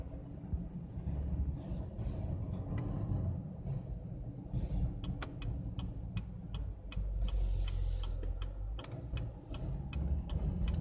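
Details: 2SS idling with sharp, irregular clicking and popping over a low engine rumble as the steering wheel returns to center; steering clicking when returning to center.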